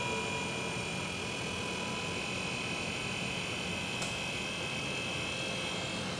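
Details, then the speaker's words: BG PF5-HO transmission fluid exchange machine with added high-output pump during ATF exchange: faint steady high-pitched whine over a hiss of flow as gauges split; pump running normally. "the standard machine doesn't have a pump so you won't hear the whining the whining noise of the pump"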